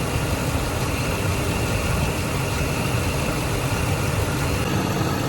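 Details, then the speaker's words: Ford F150 5.4/4.6 2V V8 at idle with a low rumbling, slightly uneven beat from a cylinder 7 misfire (code P0307) traced to a failing ignition coil; replacing the coil cured it. "so if i put this on number seven you see that it comes in and out that right there is telling me that it's got a misfire"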